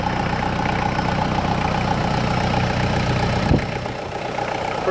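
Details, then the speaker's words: 2000 Toyota Land Cruiser Colorado VX J95, 1KZ-TE turbo diesel, 214,000 miles, bonnet open, oil cap off showing some blowback: an even, quick diesel clatter at steady idle with no misses or knocks, no smoke and a turbo whistle; a sound engine. "like an oily sewing machine blowback [Applause] we go around the back no smoke and the nice toyota turbo whistle"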